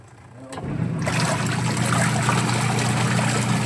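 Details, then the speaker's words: Washing machine on a home service call, tub filled with water and no leaks, after repair with the wash timer turned to test for noise: steady low motor hum under sloshing water, no knocks or grinding, now quiet; normal wash cycle. "Ayan, tingnan natin. Matagal ah. Ayan, tahimik na mga kabuting-ting. Okay na to, boss."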